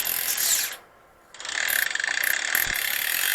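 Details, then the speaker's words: Road bike gear tune, rear on small cog: a light, fast rasping tick about four a second with pedalling as the chain brushes the front derailleur cage; front derailleur cable tension likely needs tightening. "that rubbing on this part of the cage that's telling me my cable tension is probably needs to be a bit tighter"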